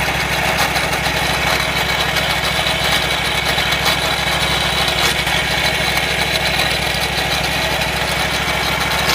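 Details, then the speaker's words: Wright Stander mower drive belt area making more noise than ever; loud harsh even roar with high hiss and grind over steady engine, owner suspects belt or worn idler pulley bearings, unconfirmed. "could be that idler pulley - could be the bearings on it hmm yeah those bearings they seem really really bad I have a feeling it's the idler pulley bearings may need a new idler pulley"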